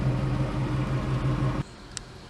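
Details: 1999 Toyota Tacoma after installing a Walbro 190 LPH fuel pump and 440cc injectors on the stock engine, idle air-fuel about 14.6–14.8: low, steady idle with an even pulse, no misses, hunting or knocks before shutoff; healthy.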